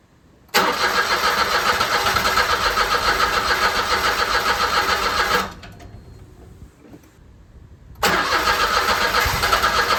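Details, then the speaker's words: 2008 Smart Fortwo 451 Cabrio after standing about 3 years, battery just replaced, oil checked: starter turns steadily about three and a half beats a second for five seconds, twice, almost catching but never starting; owner suspects no fuel or 3-year-old fuel. "Sounds like it wants to go, but there's probably no fuel, or the fuel is probably 3 years old."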